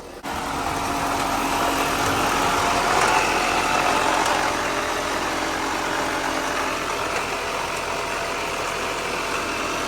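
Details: 2006 Subaru Forester with a rebuilt engine, driven in gear on jack stands and heard from underneath: a steady whirring drone with a faint mid-pitch tone over the engine, loud; internal automatic transmission failure.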